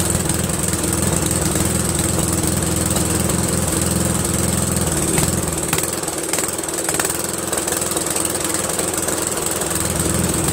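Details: Briggs & Stratton 13hp flathead single-cylinder on an MTD Cub Cadet lawn tractor, after carburetor replacement; steady even beat with a brief dip and recovery, no stumbling or surging; healthy, owner pretty impressed.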